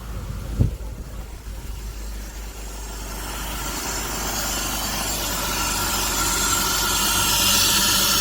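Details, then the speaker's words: BMW E46 after new 120 A alternator and new belt tensioner with pulley fitted to cure engine-bay noise: one thump, then smooth, even idle with no squeal or rattle from belt and pulleys; problem solved. "New alternator installed, new tensioner with pulley, yeah, belt is, everything is tight. Let's try once again. Okay. Problem solved, yeah."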